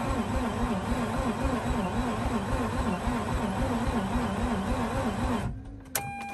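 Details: Mazda RX8 start attempt with accessory pulley loosened: brisk, even starter spin about four pulses a second for five seconds, then stops without firing; cranks but won't start. Spins faster than before; battery later found charging normally; cause not confirmed.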